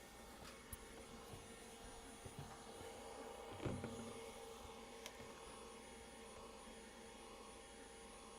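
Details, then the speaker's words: Skywalker V2 coffee roaster during roast: steady even whirr winding up and down, no rubbing or rattling; exhaust fan working normally though bean cooling doesn't work. "yeah I can hear it wind up and wind down yeah that's working"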